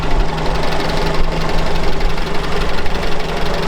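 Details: Soviet UAZ 469 four-cylinder just after an ignition overhaul to electronic ignition, choke just taken off, still cold: lumpy, uneven idle with some clatter on top, running on all four with ignition timing not yet set.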